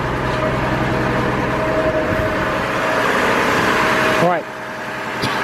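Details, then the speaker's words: 2002 GMC Envoy running rough with no power and code P0303, just started: an uneven, lumpy idle with one cylinder dropping out, from the cylinder 3 misfire. "our Miss file is on number three which means we're going to listen to the way the engine's running right now I got a misfire"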